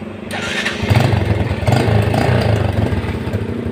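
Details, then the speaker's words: Old Yamaha Vega R after charging wiring fixed and a faulty new regulator/rectifier found burnt; short starter whirr, engine catches at once and idles steadily with no misses, battery now charging. Normal start and idle. "motor udah top chair kembali ya. Di starter juga udah enak."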